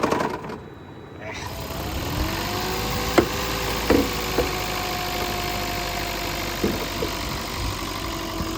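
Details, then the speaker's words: Long-sitting Toyota Prius gasoline engine, started via refurbished hybrid battery, just filled with premium, hood open: engine cuts out, restarts into unsteady idle with scattered knocks, hunting and stalling; owner suspects old bad gas, else will check mass airflow sensor and throttle body. "I'm gonna let this run for a while see if it clears itself up um maybe he just has to run the bad gas out"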